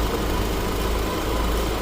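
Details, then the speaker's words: 2011 Mitsubishi Eclipse 2.4L warming up (coolant 174°F, fuel trims ±2%): steady, even low rumble at idle, slight roughness possibly from long sitting; normal idle. "Seems to be running pretty smooth. Like there's a slight roughness, but who knows how long it was sitting like this too."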